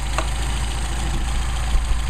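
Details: Mercedes 190SL with Solex carburetors at a steady low idle, no hunting, misses or stumbles, after the first-barrel idle mixture screw was set to the midpoint between lean and rich stumble points; normal idle.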